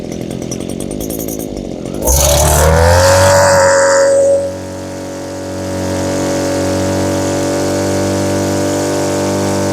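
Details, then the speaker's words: Small two-stroke (Stihl BG50 blower or Echo powerhead trimmer) after new fuel lines, ethanol-fuel water contamination: blips up then uneven burbling drone skipping beats, smoking too much; carburetor set too rich (four-stroking), to be leaned out. "The setting I have right now, it's two-stroking quite a bit. I want a more lean mix."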